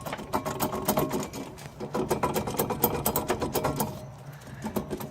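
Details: Worn wheel bearing from a 2005 Suzuki Forenza, turned by hand: rough, rapid clicking and gritty rattle; the bearing was close to coming apart and was the car's mystery noise.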